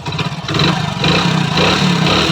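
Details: Hero Splendor Pro single-cylinder before repair, idling and blipping: dry mechanical clatter over the exhaust, humming noise when moving; timing chain found tight but from another bike, cause not confirmed.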